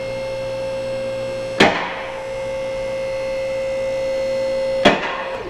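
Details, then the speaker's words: Bendpak two-post lift raising after partly tightening the equalizing cables: steady motor hum with two lock clunks about three seconds apart, one side catching well after the other; closer but still uneven, more tightening needed. "it's definitely closer but it's still not close enough so we're going to set it back down onto its locks"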